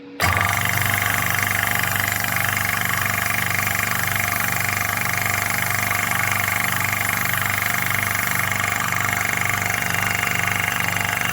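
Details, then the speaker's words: Hill EC-3000 EVO high-pressure compressor, first run, set to 300 bar, filling a 1-litre bottle from 180 bar with fan running: steady even drone with regular thump about twice a second, no knocks or rattles; running normally. "Là, je sais pas si vous l'entendez, mais le ventilateur est en route. Il est en train de tourner. On l'entend, mais alors pas du tout."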